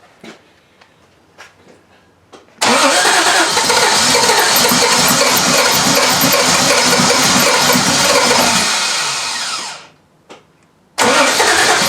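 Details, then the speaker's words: 1968 Triumph TR250 on first fire-up after restoration: starter cranks steadily about seven seconds without catching; ignition switch wiring suspected of not powering the coil in crank, so it is being wired directly. "so we just probably have one of the wires on the back of the switch so we're directly wiring it and see if we can get fire that way"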